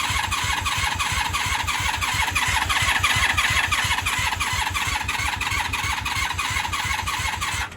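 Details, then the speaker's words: 1996 Honda Magna 750 VF750CD after coolant refill, choke on, carbs likely flooded: rapid even starter cranking about three pulses a second with occasional sharper firing pops, never catches; intermittent firing, no start, cause suspected, not confirmed. "You guys heard the fire. I don't see any fuel leaking yet. That's a very good sign. No coolant leaking out. She was starting to spurt fire, so let's try it again. Not happening. Not firing yet, which we should be firing now."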